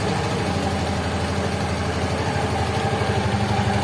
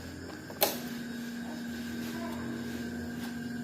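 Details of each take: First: Yamaha Mio fuel-injected scooter, after fuel pump replacement restored fuel pressure to 300–almost 400 kPa: a steady even putter about four beats a second, no misses or rattles. It starts, idles cleanly and is responsive. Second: Yamaha Mio J fuel-injected scooter dead, ignition on: click then faint steady low hum at fuel pump for about three seconds while pressure gauge doesn't move; weak hum from failed fuel pump.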